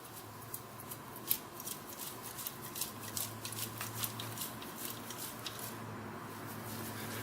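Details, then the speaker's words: Yamaha Jog exhaust pipe shaken by hand after top-end failure, owner suspects a broken piston ring was shot into the pipe; light irregular ticks and rattles of loose bits plus liquid sloshing, water or oil; debris inside exhaust. "I hear some stuff bouncing around in there. And I also hear what sounds like water."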